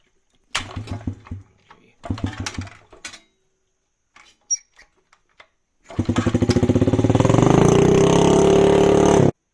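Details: Dump-find Honda CRF50 with a non-factory exhaust and kill switch unplugged, first runs: small single coughs and dies twice, then catches with a quick even putter that builds but won't hold low idle; idle then turned up. Stalling at idle, cause suspected, not confirmed.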